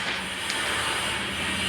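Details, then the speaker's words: Easy-bike (e-rickshaw) drive motor running: rough continuous gritty hiss and crackle from failed internal motor bearings with dried grease; both bearings to be replaced. "কারণ আমি যে এটা খুলে নিছি 100% surety নিয়ে খুলেছি যে মোটরের ভিতরে বেরিং গেছে"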